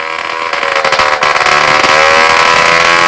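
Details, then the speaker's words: Vintage moped two-stroke engine, rebuilt, first bench start before refitting to frame: crisp buzzing, revs up cleanly with even rising note and no misses; running normally. "Écoutez, je pense que c'est un succès évident, il tourne bien, il prend bien ses tours."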